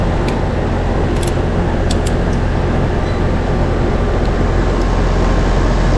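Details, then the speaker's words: About 2-year-old AC condenser after new capacitor, previously thought to need hard start kit: steady low hum with faint ticks; compressor running at about 16.2 A versus 25 A rated, normal. "so running amps right now we're getting about 16.2 and then on the manufactured tag it says the compressor the top amperage during run time is 25 so we're in a good range that's good"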